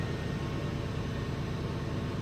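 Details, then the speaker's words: 2000 Ford F150 4.6 V8 with P0301 misfire code, idling during scan-tool combustion test: steady even low rumble with no stumble, skip or lope; no cylinder misfires recorded despite the earlier number one code. "so what I'm going to do is start this bad boy up see what we got"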